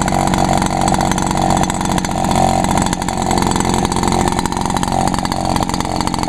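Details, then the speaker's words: Echo backpack leaf blower (two-stroke) after the owner added fuel because it had stalled, apparently out of gas; a loud, constant buzz holds a steady pitch without surging or cutting out. Runs normally. "all right cool yeah just runs Perfect"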